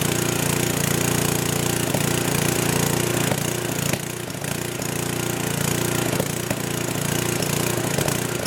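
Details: Old 10hp gasoline generator converted to propane/LPG using only the regulator of a cheap eBay aftermarket carb kit, choke open; loud uneven drone surging with occasional sharp backfire pops; owner suspects it isn't drawing enough fuel and considers feeding gas directly into the manifold.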